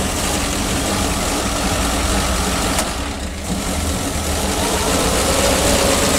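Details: PAZ-672 bus engine at idle after valve clearance adjustment with valve covers refitted: steady, even rumble with no sharp top-end ticking; the valve knock heard before adjustment is gone, engine sounds healthy.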